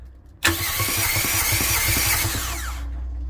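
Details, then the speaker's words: Fischer Panda marine generator on a Tiara 34 boat, about 40 hours on it, heard from the engine compartment while cranking: starter spins fast and even with a light whir, no compression pulses; internal failure, metal visible in the oil. "okay well that's not good that sound is uh no compression something happened internally there"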